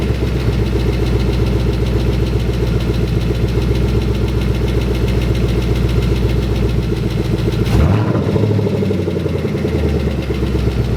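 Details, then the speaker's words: 2011 Mustang GT at first start after engine install, idling: steady V8 idle with a light tick about four per second; owner suspects an exhaust leak at a rear section not fitted, not confirmed; motor otherwise sounds healthy. "there's a slight ticking noise but I think it might just be an exhaust leak there's a back section that's kind of like not on so it might be ticking through that"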